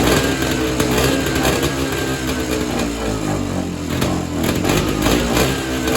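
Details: Evinrude Bobcat 25hp two-stroke snowmobile that sat 20+ years, after the carb diaphragm stack was refitted: revs unevenly with a wandering pitch and can't be tuned; owner suspects an air leak or a hardened carb diaphragm; poor running.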